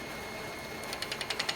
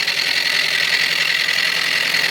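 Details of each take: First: Wood lathe turning a mallet blank: gouge applied low, so the bevel rubs without cutting. Steady lathe hum with an even rubbing tick about eleven times a second and no shaving taken. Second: Tool on a wood lathe turning an out-of-round mallet blank. Rhythmic scraping chatter pulses with each turn as the tool cuts intermittently, then evens out as the flats go away. Some flats remain, and a knot at one end adds hardness and bounce.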